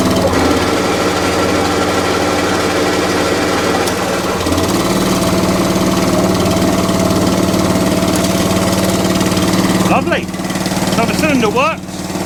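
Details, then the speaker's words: ATCO Balmoral cylinder lawn mower small petrol engine after throttle cable and carburettor work, still with a slight fuel leak: steady drone with even firing, no knocks or misses, running well at idle. "They're idle. If you want a bit more full throttle, that's idle. That's not bad, to be fair."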